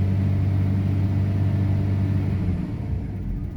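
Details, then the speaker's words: Daimler (Jaguar) XJ40, fuel pump not running: engine idles with a steady low rumble on residual fuel for a while, then goes lean, softens and falters, with injectors getting noisier; owner suspects this matches the recurring stalling that left him stranded. "So it runs for a while without a fuel pump, really. There we go, it's getting lean."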